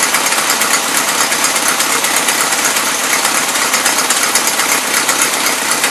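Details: 1977 Toyota Celica, Weber carburetor, first run since 1994 or 2005: busy, uneven idle with an irregular beat that never settles; mixture screws fully in but the carb still runs rich and loads up; owner suspects high fuel pump pressure.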